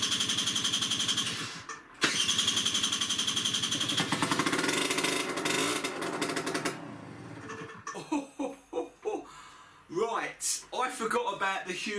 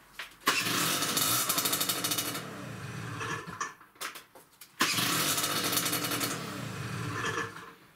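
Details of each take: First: Peugeot Speedfight 2 50cc two-stroke scooter, started on easy start spray: loud, raspy crackle when revved, much harsher than stock, from a hole purposely drilled in the exhaust pipe; exhaust leak. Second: Peugeot Speedfight 2 50cc two-stroke scooter before cleaning the air filter and checking the rollers: two quick starts, each catching at once and settling into a steady raspy, buzzy idle; normal start and running.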